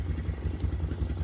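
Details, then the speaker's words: Honda Recon TRX250TE4 ATV that sat over a year, after a fuel flush, carb clean and a valve adjustment to cure ticking: low, even single-cylinder putter at steady idle with no tick; normal idle. "Gotta get these caps on and we'll fire her up, see if that ticking went away."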